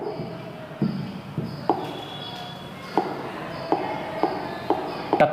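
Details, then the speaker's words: Interactive flat panel display with touch sound enabled in Preferences: sharp single bright ticks at irregular intervals, roughly one a second; normal touch feedback click, can be switched off in settings. "టక్ మన sound వస్తుంది చూసారా. ఈ sound కొంచెం ఇరిటేషన్గా ఉంటుంది అప్పుడప్పుడు."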